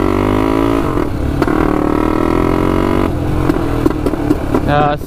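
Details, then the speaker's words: 1999 Honda 400EX turbocharged quad, first test ride with oil and fuel pumps: single-cylinder drone wavers and hunts as throttle opens; surging under load, cutting out when boost hits; owner suspects flooding, not confirmed. "surging quite a bit it's not liking that"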